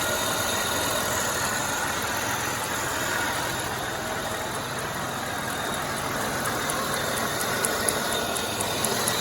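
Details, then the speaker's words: Oldsmobile LSS 3.8L supercharged at idle, after supercharger swap with used unit, new gasket and replaced hoses: light, uneven ticking about four per second; previously damaged serpentine belt slapping, needs a new belt. "Now if you hear it clicking, you see the belt. It's that belt slapping right there. And this belt was damaged from before, and it's gonna need a new belt."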